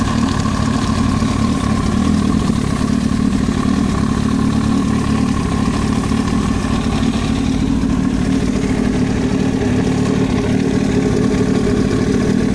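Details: Yamaha YZF-R1 at idle: a hard rhythmic tapping over the low exhaust note, steady with idle speed, an abnormal knock in the engine head.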